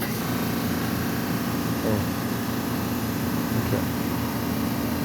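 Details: 9-year-old Whirlpool gas dryer, acquired for free: a loud, steady droning roar with a low hum underneath, far rougher than a dryer should run; unclear whether the drum is even spinning, and the source is not yet found.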